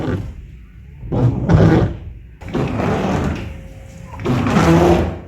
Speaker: तो अक्सर जब हम गाड़ी का वाइपर चलाते हैं तो उसमें आवाज़ आती है। सम टाइम दोनों तरफ से आती है और सम टाइम एक तरफ से आती है। जिस तरह हमारी इस गाड़ी में भी इस वक्त ये आवाज़ आ रही है।